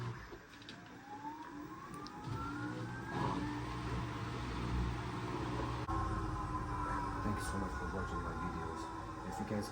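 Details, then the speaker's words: Asko W2084 washer, earlier not draining and not advancing to the next step, with a damaged motor support found; smooth motor hum climbs steadily in pitch as the drum speeds up, with no knocking or scraping; spinning normally. "the washer has been running perfectly fine without any problem"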